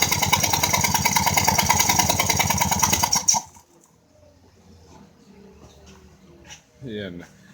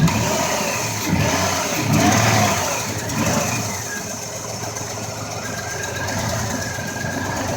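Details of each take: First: 2004 Ford Escape, which the owner thought had an exhaust leak: sharp, loud puffing ticks at about three per second over a fast idle, then shutoff. A spark plug blown out of its threads, repaired with a Time-Sert insert. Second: 2004 Ford Escape that had a cylinder 4 misfire, after the spark plug and Timesert repair. Steady, smooth, even idle with no ticking or puffing; no more misfires. Normal idle.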